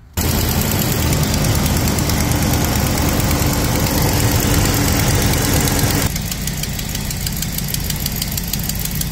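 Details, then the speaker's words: 2005 Chevy Express 3500 with the 6.0 L engine, cold start and idle: quick steady ticking about three per second over the engine note from an exhaust manifold leak at a gap, before the fix with new brackets and bolts. "you can hear the uh leak and uh my leak is right there Gap there"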